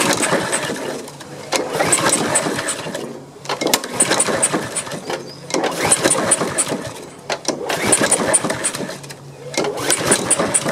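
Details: Honda HRX217 mower that sat outside for years, pull-started on its old fuel after carb cleaner spray, with debris blowing out: it runs in uneven surges about every two seconds. Owner plans fresh gas and a carb cleaning; cause unconfirmed.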